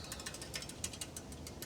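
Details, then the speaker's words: Engwe E26 e-bike, rear rack's four small attachment bolts with washers, rack shaken by hand: faint quick metallic ticks in uneven clusters; washers rattle even when bolts are tightened down. "and even when these things are tightened down, the washers were rattling, and it's not much, okay?"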